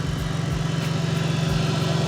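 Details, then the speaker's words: BMW E46 Touring with M54B30 swap, at idle after a drive: steady idle pulsing with a loud, even rush of air as the cooling fan spins hard; fan working properly. "The fan is spinning like crazy right now. So the thing is working."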